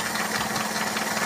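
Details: Toyota Kijang 7K carburetted petrol engine (Grand Extra) idling during carb tuning: slightly uneven, lumpy, knocky beat. Idle air screw still fully out, not yet adjusted; idle needs mixture adjustment.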